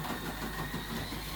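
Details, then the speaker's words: Scalextric 1:32 electric slot car on Artin track with Carrera digital parts, on the big curve only: fast rattling clunks over the motor hum as the rear end wheel-hops off the track; tiny guide flag, cause unknown. "listen the whole back end is even jumping off the ground it like wheel hops that thing has a tiny guide flag"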